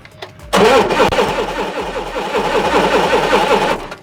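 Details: Propane forklift with a spark-plug tester at 20 kV on cylinder six cranks at an even beat for about three seconds but never fires, so it cranks without starting.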